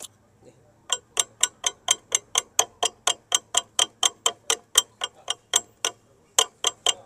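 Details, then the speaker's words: Honda SP 125 BS6 front disc knocking: sharp metallic clicks, about 85 a minute, as the front brake caliper is rocked back and forth; the caliper has play and needs normal servicing, suggested every 5,000–10,000 km. "तरह से डिस्कड़ी पर से यहां से खटकड़ का sound ए रहा है"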